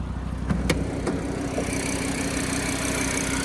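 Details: Audi RS3 (owner earlier had a timing issue sorted; fuel smell noted) at tickover: steady, even idle with low hum and no knock or rattle; fault not audible at idle, though the engine is suspected to have a bottom-end problem.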